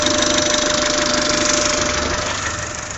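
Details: Peugeot/Citroën TU5 engine: sharp metallic tapping about three or four times a second over steady idle; knock from inside engine, cause unknown.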